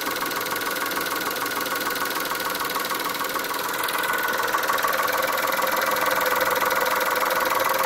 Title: Chrysler Stratus/Cirrus - Engine noise after timing belt change 2